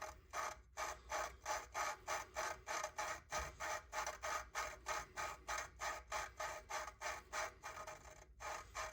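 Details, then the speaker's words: Audi A4 cylinder head valve lapping with 120–220 grit compound, rough grinding stage: gritty back-and-forth scraping strokes, about three per second, before the pitch turns high and quiet as the valve seats. "once I start hearing that real high pitched sound it's high pitched but very low volume um I then keep going for another probably 10 Cycles in a cycle being a that front fourth back forth so back forth is one and you can hear that grinding"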